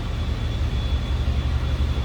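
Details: 1976 Oldsmobile 98 Regency hardtop, 455 V8, heard from the rear at the tailpipes: deep, even rumble with a steady beat, no miss or knock; normal idle as expected.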